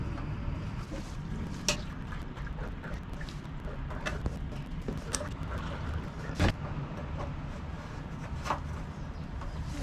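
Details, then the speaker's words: Manco Dingo go-kart with 6.5 HP Subaru Robin engine: repeated cranking won't start, only sharp isolated pops; actually loud shotgun-like backfires. "so clearly it's not starting what it's doing is backfiring really loud it sounds like a shotgun"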